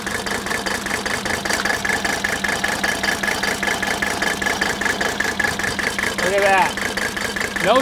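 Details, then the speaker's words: 1983 Mercedes 300D diesel, declared dead by a mechanic, at slightly raised idle while cracking injector lines one at a time: uneven clatter about one knock a second; cylinders one and two firing; diesel misfire. "I'm gonna crack one fuel injector line at a time while the engines idling and if there's no change and sound that I know that particular cylinder is misfiring"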